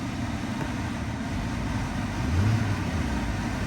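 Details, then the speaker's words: Vehicle at Copart auction yard, hot day, idling with AC running: steady, even low idle, no knocks, misses or whine; engine really smooth, normal idle. "The engine feels really smooth."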